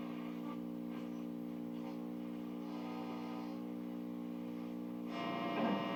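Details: Mid-1960s Arvin AM/FM stereo tabletop tube radio under repair: a steady low mains-hum drone sits under plucked music from the speaker; owner will scope whether it comes from the supply line or the audio circuit, cause unconfirmed.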